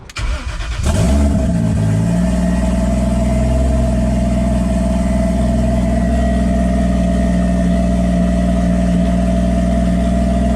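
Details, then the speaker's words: BMW E36 with swapped Toyota 1JZ engine, previously run without oil pressure, started with heater lines connected, checking coolant holds; cranks, catches and settles into smooth steady idle, no knocking or ticking, no coolant leaks; sounds undamaged. "well guys it's going to be more excited that the 1j runs and it sounds good it doesn't really sound like i damaged anything but only time will tell"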